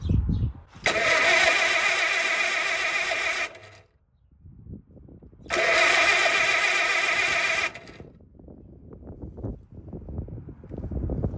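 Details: 1954 Allis Chalmers WD45 tractor after starter cleaning and Bendix swap, Marvel Mystery Oil in cylinders, watching oil pressure gauge: two cranking bursts about three seconds, even chug near four per second, strong starter spin, no start.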